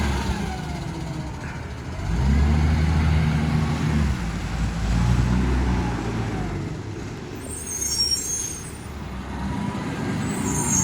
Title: Brisbane Waste BSW733 Exhaust Leak